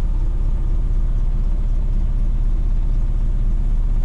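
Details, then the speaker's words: 1962 Chevrolet C-10 with 350 V8, automatic, 89,000 miles shown, warm at mid-gauge temperature: deep, slow idle lope of about four pulses a second, pulled low by the AC compressor load with the air on. "does have a low idle when the air is on you can hear it that's because it's pulling down on the motor that ac compressor"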